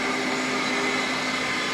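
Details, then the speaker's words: Kaeser 5C Airtower rotary screw compressor at its annual service after two trouble-free years. The fan came on and spins the right way. Filter differential is 2–3 PSI, within spec. It kicks back on at 105 PSI. A steady, even hum and fan rush: normal running. "it's spinning it's doing its job I can hear it now yep easy way to check it put a rag on it make sure it's spinning the right way there you go"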